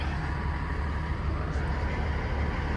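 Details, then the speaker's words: 2012+ Peterbilt 388/389 with Cummins ISX after replacing the front brake quick release valve that made noise on braking: steady diesel idle rumble, no hiss with brake held; valve sealing, no air leak. "nope I don't hear any air leaking out of here at all"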